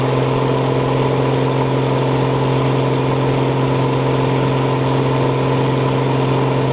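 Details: John Deere combine diesel engine warming up at idle on a hot day; steady, even deep drone with no knocks or misses; normal warm-up idle.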